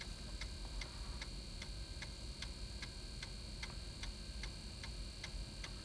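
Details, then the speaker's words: Old computer floppy drive after wiping shed magnetic media off the head with alcohol, reading the test disk that had failed: crisp, even ticking about twice a second as the head steps tracks, no stalls or grinding; all tracks read cleanly. "every track was unreadable, now it's passing with no problems whatsoever."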